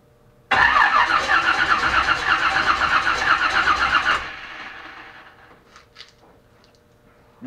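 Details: Chevelle V8 after spark plugs were cleaned, sat unstarted for weeks since a Christmas parade: starter cranks steadily about four seconds without a catch or pop, then stops; no spark.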